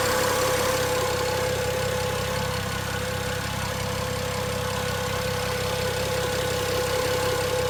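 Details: BMW 335i, 43k miles, steady idle: light tick about four times a second under an even hum; cause unknown.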